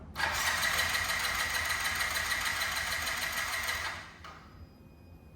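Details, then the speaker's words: Yamaha C3 moped after fuel pump replacement (old pump silent despite 12 V): steady high whir with quick even pulses for about four seconds as key is turned and engine cranks; new pump working. "here when we turn the key on is that we hear the delightful little hum of a fuel pump engage, right? Just a little wee, and after that, so here we go. That's what we wanted to hear."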